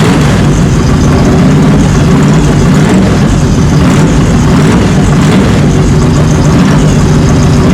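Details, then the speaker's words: 1967 Chevy Nova with 400 small-block V8, running after installing a new wiring harness, during break-in; loud, deep, even idle with steady lope, no knocks or ticks, healthy and smooth. "But let me get those ran, and then I will start it up and let you hear it, because it sounds killer."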